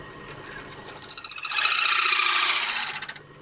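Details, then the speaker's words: Lathe cutting a gear selector knob for a Kawasaki GT550 bobber, using cutting paste: shrill fluttering squeal for about two seconds during cut, leaving uneven finish; tool chatter, tool height suspected too low. "Could be that the tools are a little bit high. Low, sorry. Raise it up a touch."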